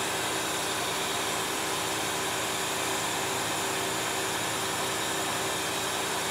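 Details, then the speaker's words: 1971 Mercedes-Benz 300SEL 3.5 idling: a loud, steady hiss that does not change with the engine, from the horribly perished, leaking air suspension bags, showing the pump is working; fuel is also leaking, possibly at cylinder five. "I could hear the hiss uh from the air suspension system so the airbags on the air suspension system are horribly perish here in that his means the pump's working correctly"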